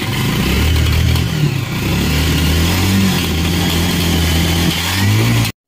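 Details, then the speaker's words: Bajaj Pulsar that would not start after 2-4 kicks even with choke, now running after both spark plugs replaced with gapped Champion plugs: single-cylinder thump runs smooth and steady, picking up cleanly on a light throttle blip; normal running. "তো bike আমাদের start হয়ে গেছে। তো এবার আপনাদেরকে সাউন্ডটা শোনাচ্ছি guys."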